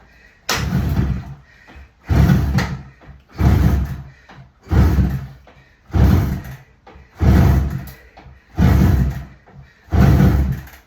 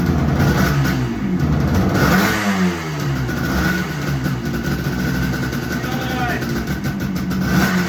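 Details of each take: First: Barn-find 1975 Suzuki GT250 two-stroke twin, start attempt after 18 years on easy-start and choke: catches in short rough bursts about every 1.5 seconds then stops; fires only on starting fluid and won't run on its own. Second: 1975 Suzuki GT250 air-cooled two-stroke twin, a barn find first running after 18 years using easy start: uneven revving, blipped up and down with ring-ding crackle; firing on both cylinders.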